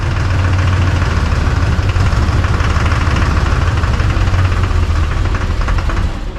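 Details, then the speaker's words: LB7 Duramax diesel project truck, engine just reinstalled with new Exergy injectors and pump, idling with an uneven loping beat and skipping knock. A misfire after injector install; cause not confirmed. "Sounds like a miss, doesn't it?"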